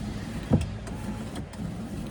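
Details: Mahindra Bolero power window after temporary repair of a stuck regulator with a badly worn cable: short motor whir with soft clicks as the glass travels, no grinding or binding; window working again.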